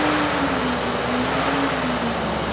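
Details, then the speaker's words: Rebuilt wrecked BMW M4 at idle with engine cold: steady rushing roar with wavering hum as radiator cooling fan runs flat out constantly; wiring, coolant and temperatures checked, cause unknown; later resolved after checking water level and bleeding cooling system. "going on if anyone has any ideas in the comments let me know you're watching this and you think you know why the fan is behaving like this"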